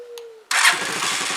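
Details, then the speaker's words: Zontes motorcycle cold start with choke on: fires almost instantly on the first crank and holds a steady, even idle, a healthy start. It was not starting easily the day before. "yeah i'm happy enough for that it wasn't starting that easy yesterday"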